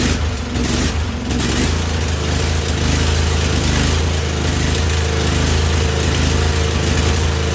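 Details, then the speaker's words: Husqvarna YTH2148 lawn tractor, Briggs & Stratton Vanguard V-twin, after carburetor work: lumpy, uneven beat stumbling about once a second, on and off one cylinder; one side's exhaust pipe cool enough to touch, not firing consistently. "she's not happy she's kind of on and off one cylinder and carburetor huh that's kind of weird because it's like looked pretty good when I was done with it"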